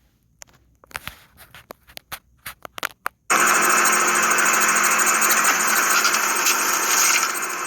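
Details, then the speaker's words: Kyocera M3660idn printer making a copy: clicks from the paper path, then a loud steady high-pitched screech from the rear exit guide rollers near the fuser; fixed with multi-purpose grease. "so that was a loud screech coming out from the back of the printer"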